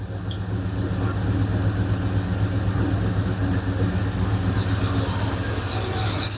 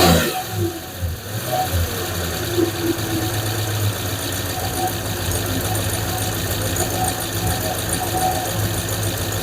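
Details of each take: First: 5.7 Hemi after replacing lifters: steady, even V8 idle with low rumble and faint top-end clatter, quieter as it warms; tick gone, exhaust leak and possible small vacuum leak remain. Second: 5.7 Hemi V8 idling after replacing lifters: lifter tick gone, now a fast light puffing tick from an exhaust leak; owner also suspects a small vacuum leak.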